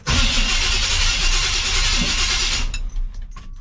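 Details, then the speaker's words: 1975 Chevy C10 454 big-block, starter with all shims removed, on jack stands: brisk, even starter whir with a quick rhythmic chug under three seconds, no grinding or clank; normal cranking, though it clanked and ground before. "Wow, sounds perfect. Wow, sounds like ain't nothing wrong with it. I mean, that's just how the starter sounds."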